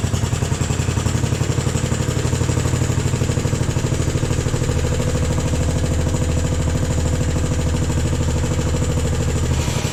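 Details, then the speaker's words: Jacobsen Chief 1000 tractor, Kohler single-cylinder (K241 fuel system work), after draining gas and new fuel line: steady even firm thump at fast idle, no misses or knocks; took a few cranks to get gas flowing, runs pretty good. "all right guys ran pretty good took a few few uh cranks to get the the gas flowing but pretty impressive"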